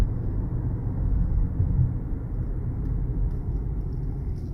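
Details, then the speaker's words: Honda Accord after front wheel bearing replacement, test drive at speed: smooth steady road rumble with no rhythmic wow-wow pulsing that grew with speed before; bearing quiet. "So we're going to take off again like we did in the beginning of the video. Look at that. No more noise."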